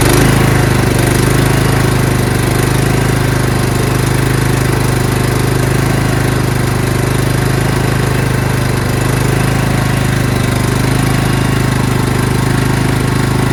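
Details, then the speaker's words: Craftsman LT2000 lawn tractor, small single-cylinder engine runs fine at start, then after 10–20 seconds begins surging, speed hunting up and down as if starved of fuel; owner suspects fuel delivery problem, unconfirmed. "When you first start it, it runs just fine, okay? And then after 10 or 15 seconds, it'll start surging, which means it's gasping for fuel. It needs fuel, but it's not getting it."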